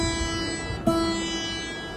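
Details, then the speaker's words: Hagstrom acoustic guitar during setup: a plucked open string rings with a bright, sitar-like buzz because the nut is too low on the first string. The fix is to replace the nut, or else file it down. "the only problem is that when you play open [Music] string it will bu right at here so you can can do two things um change this or file this down but I rather you change the not"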